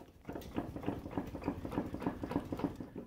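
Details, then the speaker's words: 15-year-old Polaris Fusion snowmobile, rear wheel turned slowly by hand: steady gritty ticking about three times a second; both rear wheel bearings shot, one worse, need replacing. "their shot they're always a good time to change um i think this one's even worse yeah you can hear them they're both really shot"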